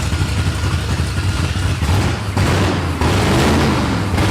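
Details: 1989 Ford F-150 after timing set with computer control restored, very loud: lumpy, uneven idle with irregular heavy thumps and surges; owner suspects a dead cylinder, cause not yet found. Rough idle.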